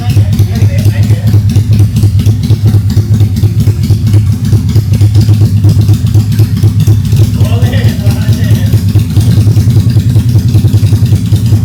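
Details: Honda Steed 400 V-twin chopper custom build, first start after 5-day project, fitted with its earlier stock exhaust: loud, deep, uneven lumpy thumping at steady idle, running solid with no knocks or misses; normal running.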